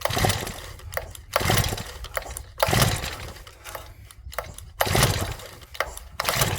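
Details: Stihl FS65-4 petrol strimmer, crankcase oil badly overfilled: repeated pull-cord starts on choke, each a brief chug that dies; never fires due to an oil-flooded engine.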